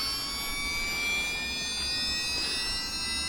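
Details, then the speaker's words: Losi Pro Moto MX RC dirt bike, with handset on: high, clean whine edging up in pitch as the gyro flywheel spins up to speed before riding; normal flywheel spin-up. "I' got to wait for that to get up to speed. As you can hear, the flywheel now spinning up. So obviously that's the gyro feature, guys."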